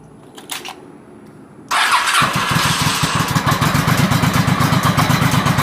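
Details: 1986 Honda Shadow 700 V-twin, owned about 30 years, after wiring in a dual fuel sensor with the fuel low; cranks and catches in about a second, then a steady thumping idle near four pulses a second; normal cold start and idle.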